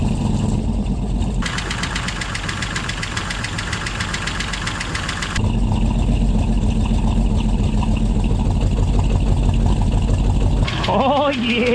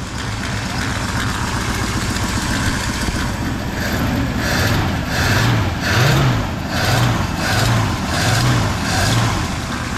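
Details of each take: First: 1959 Oldsmobile Dynamic 88 V8, barn find sitting for years, first start on starting fluid: runs a bit unevenly with light fast tapping over idle; hydraulic lifters noisy, expected to quiet down as oil pressure builds. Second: 1959 Oldsmobile Dynamic 88 that sat for years, cold start with the choke set fully shut and dumping fuel. It fires up and settles into a deep, steady burble with no knocks or stumbles; normal idle.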